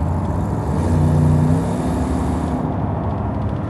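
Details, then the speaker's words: Loaded truck idling with a low, loose puffing rumble; exhaust gasket blew off again on a long trip, clamp possibly loose; exhaust leak. "Yep, that's another exhaust leak."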